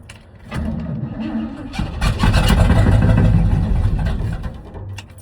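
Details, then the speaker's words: 1979 Chevrolet C30, gas can rigged to the fuel pump: catches on cranking, revs briefly then sags and dies; owner suspects bad fuel pump, maybe needs electric pump; starter sounds weak. "Oh, it really wants to go. All right, one more time. Oh, come on. Could be a bad fuel pump."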